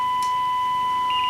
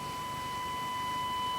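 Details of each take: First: Rexina medium-wave radio receiving a DDS-modulated 1 kHz test tone at moderate signal strength: steady, pure tone, clean and undistorted, faint hiss and a brief click near the end. Strong signals distort it; IF AGC is suspected. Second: Rexina medium-wave radio fed a 1 kHz DDS-modulated test tone, measured after the demodulation diode: the clean tone turns rough and buzzy as the signal gets stronger; distortion on strong signals, suspected weak IF AGC regulation.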